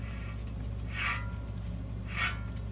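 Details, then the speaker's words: 2014 Chevy Malibu driver-side front wheel bearing/hub assembly, axle pushed out, hub turned slowly by hand: dry gritty rasp about once a second, lots of grittiness, worn bearing being replaced. "A lot of grittiness in there."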